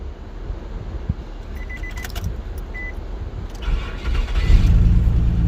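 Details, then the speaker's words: Nissan (2001–2005 model range) starting right after ECM/PCM replacement and key programming with PIN 5523; key clicks and chimes, security light goes off, starter catches and engine fires into a smooth idle; normal start. "Security light of है। अभी गाड़ी start हो गया है।"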